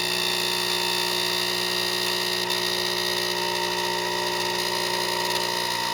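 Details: Saeco Vienna Plus espresso machine, about six months old; loud steady high-pitched screech at constant level through the brew cycle, not on every cup; persisted after cleaning and a repair, machine eventually replaced.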